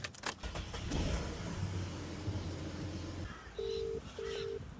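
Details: Car after a worn ignition switch was replaced with a new one: key rattle, engine starts and holds a steady low idle, then two short dash chimes; starts and runs normally.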